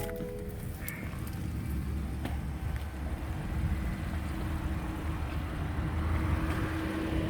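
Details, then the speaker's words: 2017 BMW 740i xDrive direct-injection engine idling with hood up: smooth and quiet, with a faint light ticking from the injectors, normal for direct injection. "nice and quiet although when you lift the hood you can hear that slight injector ticking which is very normal for these cars this is a direct injection car"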